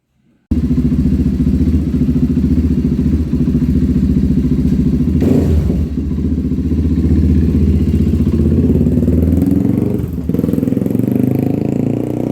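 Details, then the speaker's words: 1997 Honda TRX300EX single-cylinder after cam chain replacement, not run in a while and still cold: strong thump about three or four beats a second, slightly uneven and grumpy; otherwise running really good. "I okay guys hey it's actually running really good um it hasn't ran in a while so it's a little grumpy and it's also still cold"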